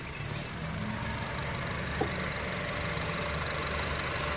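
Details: 2007 Honda Civic (8th gen) after climate control unit swap, AC pressed off: steady even idle, smooth low rumble, compressor disengaged as it should; fault of compressor never turning off believed fixed.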